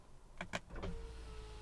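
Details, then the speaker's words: BMW E90 rear window regulator replaced: short whir and clunk, then thin steady motor tone slightly labored going up; passenger side seems smoother than driver side, regulator alignment may need adjusting. "oh when going up it's a little i can i can hear the the tone of the motor is a little a little bit struggling here"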